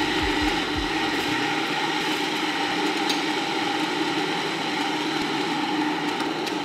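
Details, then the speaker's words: Cuppa CWK-100 1-litre variable gooseneck kettle set to 89 degrees: a steady, fairly loud hiss and rumble of water heating, even throughout with no knocks or clicks; loud but normal heating noise. "I set the temperature to 89 here it it's a bit loud it doesn't bother me"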